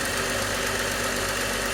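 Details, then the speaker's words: 1998 VW Jetta Mk3 VR6 12v, after spark plug change to ruthenium HX plugs (had rough cold starts): even, steady idle, no misfires, slight timing chain noise that usually goes away; normal idle. "oh yeah no misfires she sounds good a little bit of that timing chain right here a little bit usually it goes away but no misfires nice idle"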